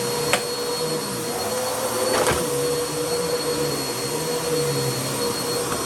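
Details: Bissell CleanView vacuum after its bad motor was replaced with a used donor motor: steady airy whir with a constant high tone, quieter than before, no rattles or rising squeal; motor smooth and healthy.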